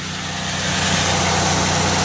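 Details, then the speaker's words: Chevy Venture wheelchair-accessible van with 85,029 miles and 3.4 V6, hood open: steady, smooth idle with a low hum and no stumble or miss; healthy engine. "the 3.4 V6 it idle smooth no Miss engine sounds good"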